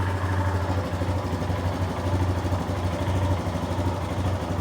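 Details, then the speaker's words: Royal Enfield Himalayan 411, rebuilt with Hitchcock valves, just over 10,000 km since, valves never needing adjustment, hand over exhaust: steady even single-cylinder idle thump, no top-end ticking or rattle; valves healthy. "So, people say Himalayans rattle, that's how they all do. Load of crap, innit, eh? This don't rattle at all."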